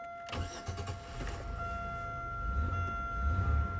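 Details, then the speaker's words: 2001 Buick Century after cleaning and clearing codes, earlier evap leak code: engine runs rough and low, then fades and dies once the gas pedal is released; won't idle on its own, cause not confirmed. "so basically unless your foot is on the gas pedal it just shuts off"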